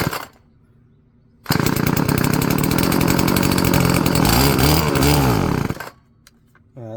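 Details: Stihl FS-36 two-stroke string trimmer, bought as "runs on spray": after priming with two-stroke mix it gives a raspy buzz for about four seconds, then dies. Old fuel contained engine oil. Owner suspects fuel lines and plans a carburetor rebuild.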